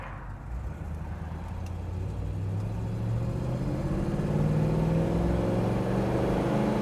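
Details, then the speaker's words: 1966 Pontiac Tempest V8 accelerating on the road: pulls cleanly with a smooth, rising tone that climbs steadily under load, no popping or stumble; it shifts very well and has good pickup. "the car shifts absolutely fantastic has good pickup it's not a hot shot but it's got plenty of get up and go"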